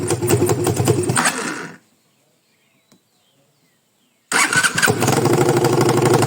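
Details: 200cc engine after repairing a strange noise, valve seating redone: engine revs, shuts off, restarts and runs with a steady, even beat and no knocking; sounds healthy.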